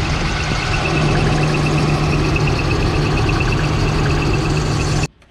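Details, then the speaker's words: 1995 Nissan D21 Hardbody, about 141,000 miles, idling: high pulsing squeal or whine, much louder with A/C on, caused by a seized fan clutch dragging the belt; fixed by replacing the fan clutch. "as you can hear there is a squeal or a wine and the reason i started looking into it is because that squeal got a lot louder when you turn on the ac"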